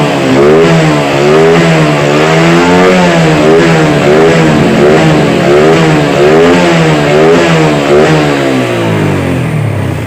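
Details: Yamaha Vega R motorcycle after its faulty carburetor was serviced and refitted. Revs rise and fall cleanly, about one blip per second, picking up crisply with no hesitation or popping; normal revving.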